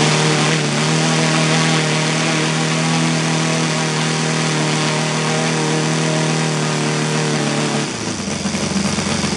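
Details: Saito FG 60 R3 single-cylinder four-stroke on spark ignition, popping at slightly uneven low idle with shaky beat, then pitch drop; Hall sensor timing being changed to less advanced, timing suspected but vibration showed no clear relation.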